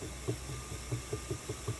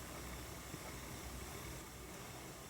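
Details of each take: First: Ashford E-Spinner 3 spinning wheel running with brake and cord already ruled out and parts lubricated: dull low whomp thumps about five per second over a quiet motor hum; the bobbin slides back and forth in the gap to the motor. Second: Ashford E-Spinner 3 electric spinning wheel after fix (felt washer filling the gap between bobbin and motor part): steady, even hum and hiss with no whomp or bobbin knocking.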